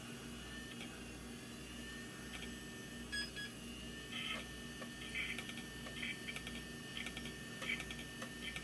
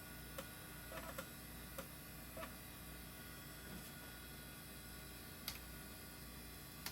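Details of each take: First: Old IDE hard drive on an intake test bench, not detected by the computer, jumper possibly needed; irregular high chirping and scratching over a faint spin hum as heads seek all over the place; erratic seek noise, failing drive suspected. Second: Old IDE hard drive detected as master with good SMART data, passing all tests; quiet steady spin hum with a few light irregular seek ticks, no repeating clicks or grinding; healthy drive.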